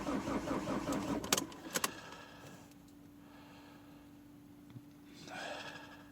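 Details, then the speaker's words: Opel Z19D 1.9 diesel left outside overnight in frost, cold start: starter churns about two seconds with no firing then stops; cranks but won't start, glow plugs suspected not working. "Погано запускається. О, бурк, бурк. Зараз запуститься. Свічки треба розжарювання."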